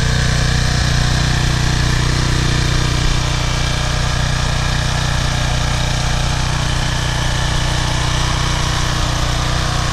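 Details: PowerFlow Plus Technology pressure washer, Briggs & Stratton 190cc engine, unused over a year until its carburetor was cleaned of a clogged bowl jet, oil and dried gas. Steady, even drone holding speed with no surging or misfire; healthy running after repair.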